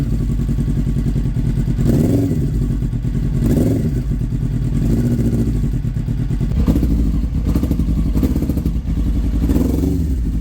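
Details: Kawasaki ZX9R at 42,965 miles, first start after purchase: lumpy, uneven idle with irregular throttle blips that barely catch and sag, won't idle long and seems not firing on all four; owner suspects carbs or plugs, carb clean and rebalance planned.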